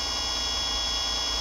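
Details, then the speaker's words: Brand-new Cyclone gear motor with nylon planetary gears on its first run, powering a pedicab or bike, measured at 85 dB: steady, even high whine with clean tones and no knocks or grinding; normal motor run. "this is another brand new straight from the factory cyclone motor first run never been run before this one has the planets here the nylon planetary gears inside and I was just going to demonstrate what it sounds like"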